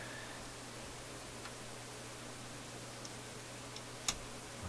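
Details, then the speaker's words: Philips console stereo receiver/amplifier run at about 60% line voltage (around 65 V), AM antenna connected, no radio reception: steady hum and hiss with irregular clicks and a sharp pop; intermittent crackle, cause untraced. "Still nothing. Uh-oh. I heard some popping and clicking here. Oh my."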